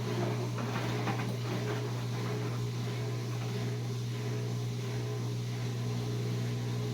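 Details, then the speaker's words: Replacement drain pump running in a Whirlpool Duet washer about four years old, fixing door-locked and long-drain errors: steady low hum with a faint even whir, no grinding or rattle, far quieter than the loud old pump. "Okay, here's the new pump, what it sounds like after I've replaced it. If you remember how loud it was, this is way quieter."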